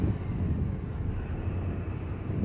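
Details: Tata BS6 Phase 2 Cummins diesel truck that would not rev past about 1300 rpm, no fault code: deep, steady rumble held at raised revs about 2500–2600 rpm, no surging or stumble; normal free revving.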